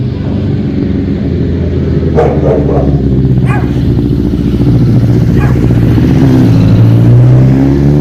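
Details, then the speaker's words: 2005 Honda CBR1000RR after rebuild and balancing shaft adjustment: steady, slightly lumpy idle hum with the earlier whistle/whine gone. Healthy, just a touch rough at idle; idle adjuster may need tweaking. "That sounds so much better. Okay, so bike sounds way better. The whistle is gone."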